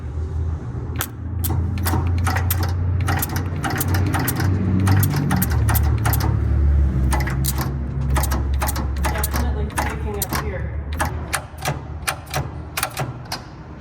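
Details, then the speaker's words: Vintage Cummins 220 diesel in a Peterbilt 350, first start attempt on temporary battery cables: rapid sharp clicks, about four a second, seemingly from a firewall-mounted unit; Bendix works but the starter doesn't spin, possibly needing more power. "just told Aaron the click sounds like it's happening in this bottle jack looking thing that's mounted to the firewall. I don't know what it is. >> Well, the Bendix is working. What it is is not even thinking about spinning."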